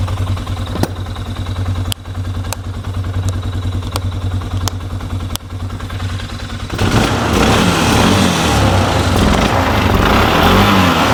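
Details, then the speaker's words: Polaris Sportsman ATV after repairs, partly reassembled: steady, even engine beat with firm low thrum, a few sharp clicks early, then louder steady running; sounds healthy. "sounds good sounds healthy in part"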